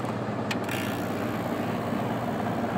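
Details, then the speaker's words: 1982 Hotpoint Fashionaire 9,700 BTU window air conditioner running on low cool: steady, even, smooth compressor hum with little shaking and a faint rattle from something inside that is not yet identified. Normal compressor running. "good. Nice and smooth. Doesn't shake too much."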